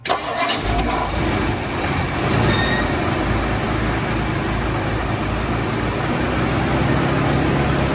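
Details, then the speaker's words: 1959 Ford Fairlane V8 at first start after power steering work fires and idles with a steady rumble, plus a light flapping slap from the very loose power steering belt hitting the fan; belt to be tightened. "Power steering belt's super fucking loose. So we need to go tighten that up. So I'm gonna set this down. We'll tighten it up and we'll fire it up again. But yeah, it was just the belt flopping up against the fan there."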